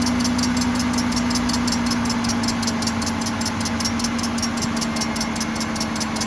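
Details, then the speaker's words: 2007 Cadillac DTS at idle: sharp regular chirps about two and a half per second plus faint whine; rebuilt power steering pump confirmed at fault, suspected piece of metal stuck inside it. "yep definitely power steering pump yeah it's uh sounds like when they rebuilt the pump there's a piece of uh metal stuck in it and uh that's what's causing the noise"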